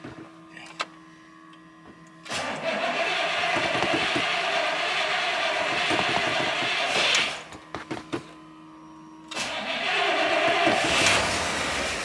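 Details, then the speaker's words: Dodge Stratus cold start, nearly out of fuel: cranks, catches, stops, fires again and runs; no clicking or ticking, oil pressure up at 60 psi, healthy cold start. "Oil pressure's up. She's not clicking or ticking. Yeah, she's 60 pounds. Good."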